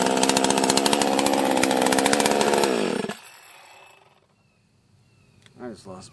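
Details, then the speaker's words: Chainsaw that had been locked up solid, with the choke broken off and the throttle stuck: it revs hard with a rough, uneven beat, then bogs and dies. Erratic running; owner suspects the coil or the carb and has a new coil and carb kit coming. "let's uh try to fire it up here it's running really weird so i'm gonna try to let you decide if you can figure out the problem and then we'll probably fix it on the next video"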